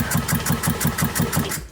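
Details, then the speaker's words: Small engine, model 13202 0753, serial 77022406, with possibly mismatched copper shroud and recoil, compression test by cranking: fast light cranking about five pulses a second, little resistance; gauge reads only 50 psi, low compression, want at least 90. "It moved a little bit. 50. 50 is not great. We want to be at least 90."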